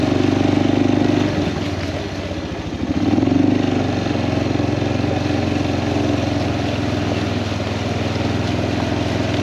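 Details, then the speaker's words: Kawasaki Prairie 400 ATV after engine rebuild, riding test: single cylinder pulls cleanly on a throttle blip, then settles into an even, steady thump with no knocks or misses; healthy engine, float still needs adjusting. "other than that it's running fantastic and this thing rides like a Cadillac I mean it is so smooth it's heavy it's nice"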